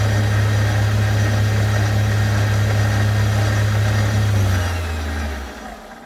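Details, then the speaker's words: Chinese mini lathe spindle motor switched off from high speed after the dislodged magnetic pickups on the chuck shaft were cleaned and re-seated; steady hum drops and dies within about two seconds, clean stop, the earlier speed-controller overrun no longer seems to be a problem. "okay well that doesn't that that overrun now doesn't seem to be a problem"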